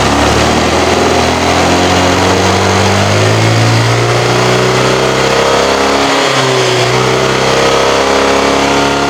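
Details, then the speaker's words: Honda Vario scooter that fouls spark plugs within a week, engine hot, before the exhaust was holed: revs climb sluggishly and hang, sounding choked and held back when the throttle is pulled. The exhaust is restricted by a clogged catalytic converter. "ini cekound coba bisa didengar enggak lewat video ya suaranya semcam ini nah pas ditarik ke sini ya Tu nahankan itu sebelum saya kasih lubang ini di sini itu suaranya nya parah itu"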